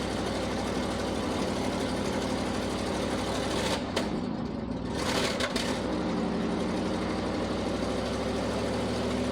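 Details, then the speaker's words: 1979 International Harvester ACCO 510A 4x4 truck, V-345 (5.6L) petrol V8 with new exhaust pipe, about 28,900 on the odometer: steady, even idle with a smooth regular beat and a brief dip midway, no knocks or misses; normal idle. "I'm just going to show you how how easy it is to start how well it runs obviously being uh what is it 3 352 I think is the number 352 V8 petrol she drinks a bit of fuel but uh but she she sounds lovely"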